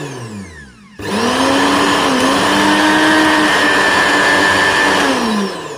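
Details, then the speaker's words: Koryo mixer grinder after repair of a loud running noise and overload-switch tripping: the motor spins straight up to a steady, high, even hum and winds down cleanly, with no rattle or grinding; normal running. "तो दोस्तों देखा आपने mixer को चालू करने पर कोई भी आवाज नहीं आ रही है। इसका मतलब यह मिक्सर अच्छी तरह से बन चुका है।"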